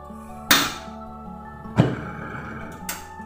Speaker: Begitu kompor dinyalakan, api tidak sempurna, bahkan terdengar seperti letusan ya, blub dan sok seperti itu. Ini menandakan kondisi api tidak normal ya, jelas tidak bisa dipergunakan untuk memasak.